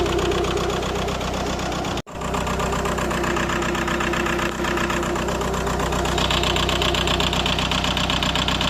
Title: P1666, P0301 cylinder misfire, electrical error, engine rough idle shaking/ rateu tremura la ralanti